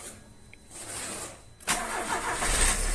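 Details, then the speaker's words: Car engine after a starting problem was fixed (not the starter motor), battery at 12.5–12.6 V: short crank, clean catch, steady even idle without stumbling; normal start, though the alternator then fails to charge. "Agora eu vou mostrar pra vocês aí a partidinha, ó. Vou tirar o celular aqui fora e vou por aqui por dentro, eu vou ligar. Olha o barulho do motor."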